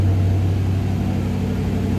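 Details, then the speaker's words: 1941 Plymouth 5-window coupe street rod, cold with choke/high idle likely on: deep steady rumble with slight lope as it comes off high idle, a nice mild cam; running normally. "It does have a nice little cam to it when it comes off that high idle. A little bit of a rumble"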